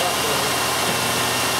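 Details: 1993 GM 3.1 with a newly installed engine computer, restarted after the unplugged MAP sensor that caused a surging idle was plugged back in: steady, even idle with no rise-and-fall surging under some background hiss; normal idle.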